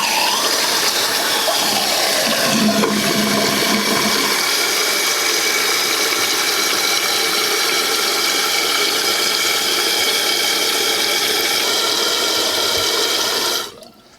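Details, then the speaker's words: Flush and refill after a toilet fill valve replacement and float adjustment to the fill line, with no leaks found; the valve shuts off where it should. A steady rush of refilling water that cuts off cleanly. Normal flush and refill. "So, checking again for leaks. We have no leaks. Make sure that our flapper valve is working right."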